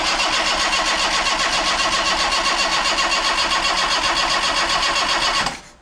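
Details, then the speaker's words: Yugo Sana GL revived after 20+ years, fresh battery, oil pressure built: steady even starter cranking about four turns a second for five seconds, never fires; crank, no start. Spark plugs checked and replaced next. "Okay, nothing so far, so I think what we'll do is we'll pop the plugs out and just check the condition of them and then give it another go."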